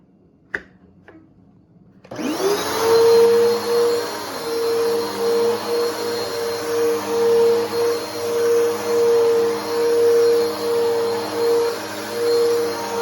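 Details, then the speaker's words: Older Bissell PowerForce Helix 2191 vacuum motor spins up to a steady high whine with a slight wavering pulse in the roar, sounding a little funky and higher-pitched compared with a healthy unit. "yes the motor is a little bit funky on this but uh it'll have to do but this is what it sounds like so that's what the old motor sounds like"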